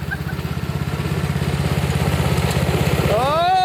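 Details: 2003 Snapper riding mower, somewhat low on oil, during electrical diagnostics, with a little two-stroke mix to be added to help it fire; the starter cranks steadily at about three compressions a second for nearly four seconds and never catches.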